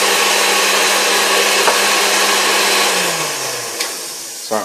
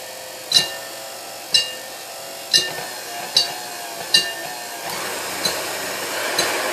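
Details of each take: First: you can tell, this thing runs like new. I mean, it's a great running machine. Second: Previously repainted KitchenAid Model 3B stand mixer with aluminum bowl, first run before restoration: sharp metallic clinks about once a second, quickening as motor hum rises; whip hitting the bowl, needs height adjustment.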